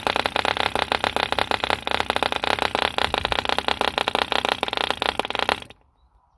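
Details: 1948 E.D. Mark II Competition Special 2cc long-stroke model diesel, first start after rebuild from two incomplete engines: fast crisp even popping steady several seconds, then cuts out cleanly; healthy running.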